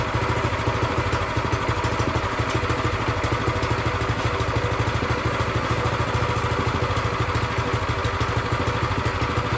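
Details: Brand-new Predator 212cc single-cylinder engine on a plate compactor, first run after the idle speed was raised. Steady, even idle putter with no misses or surging; healthy and ready to use.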